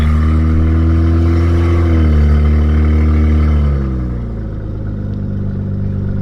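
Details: Toyota Soarer with 13,000-mile 1JZ twin turbos and straight pipe, revving while boost gauge watched: raw exhaust roar rises and falls but no turbo whistle builds; no boost, turbo later found missing its compressor wheel.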